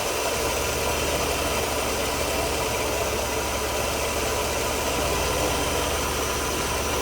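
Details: 1992 Mercedes W124 300 with hard starting after work; running rich, mixture duty cycle turned down toward 50% with a 3mm Allen key, read at about 49%. Smooth, steady idle hum with no misses, surges or stumbles: running evenly.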